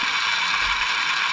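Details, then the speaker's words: 1991 Kenwood KX-W6020 double cassette deck: smooth, even high whir with no catching, grinding or speed wobble while fast-forwarding; fast forward works properly. "Actually, fast forward works."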